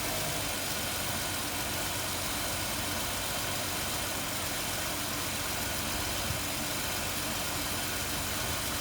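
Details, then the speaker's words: 2005 Ford Taurus with P0300/P0316 misfire codes, checked at the coils: steady, even idle under a lot of hiss, with no stumbles; running perfectly now, owner suspects a bad battery. "I mean you listen to it now it sounds like this one a perfect everything students like it's running perfect"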